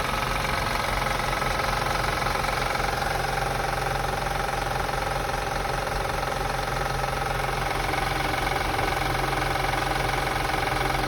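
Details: 2005 Acura TL after starting: steady petrol idle with a light, fairly regular clicking of about four ticks a second; source unknown.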